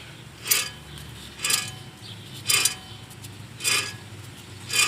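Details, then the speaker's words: Hub of a car with badly worn suspension, spun by hand with brake rotor and pads removed, gives a gritty, raspy scrape about once per second; with rotor and pads on, nothing was audible: clearly a bad wheel bearing. "it is clear as day that it is a bad wheel bearing."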